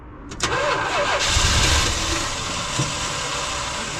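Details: 1978 Dodge Ram crew cab V8 with Thermoquad carburetor, hard to start after sitting: long starter churning, then a rough uneven catch into a shaky idle; fuel pump barely squirting, fuel delivery suspected; extended cranking, hard start.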